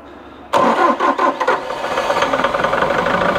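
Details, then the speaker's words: Bobcat T770 with D34 diesel, hard starting, rough running, black smoke under load; number one injector capped off: brief crank, fires almost at once, slightly lumpy idle on three cylinders; number one injector leaking badly. "so see it did start pretty quick so that yeah number one injector definitely has an issue"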